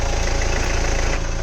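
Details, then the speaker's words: Hyundai Verna 1.6 diesel after the belt tensioner was replaced with a Hyundai original part; steady idle with an even low throb, now silent with no squeal, rattle or chirp from the belt drive. "अभी कुछ आवाज नहीं करता एकदम silent"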